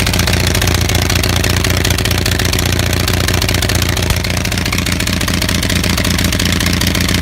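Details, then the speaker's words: Onan 6500 (6.5 kW) gasoline commercial generator, free unit missing its muffler: uneven stumbling run with irregular pops, backfire and shaking instead of a steady beat; spark present throughout, misfire traced to severely fouled spark plugs. "Okay, so if you just saw the video of this running like shit, I don't know if the backfire was coming out in the video."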